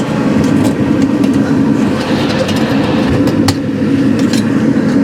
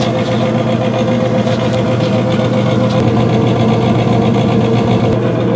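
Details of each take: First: 2017 Central Boiler Classic Edge 550 outdoor wood boiler, newly replaced combustion (draft) blower, mic held up to the fan: even, steady airflow with a low hum underneath and no rattle or knock; very quiet compared with the old rickety blower. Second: 2017 Central Boiler Classic Edge 550 outdoor wood boiler draft blower/combustion fan: steady loud hum with rough uneven rattle and sharp ticks; cleaning last week didn't help, worn blower needing replacement.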